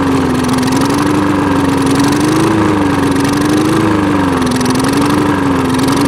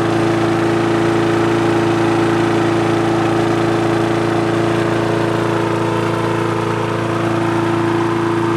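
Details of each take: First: Old push mower after clearing a clogged air filter: engine speed rises and falls in a slow wave about every 1.5 seconds; hunting idle from a dirty carburetor needing cleaning. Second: Push mower that wouldn't start, after carb cleaning, diaphragm and gasket replacement and a replaced spring: a steady, even single-cylinder drone at constant pitch with no misses or surging. Running well; rpm raised by tensioning the springs.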